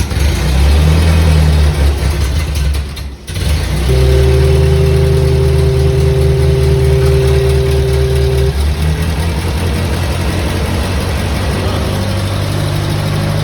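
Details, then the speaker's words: Ford 8N tractor just after a new governor was installed: steady low drone holding speed with no surging or runaway, a brief dip early on; runs well, though it still needs adjusting. "wow that sounds really good yeah it needs some adjusting though"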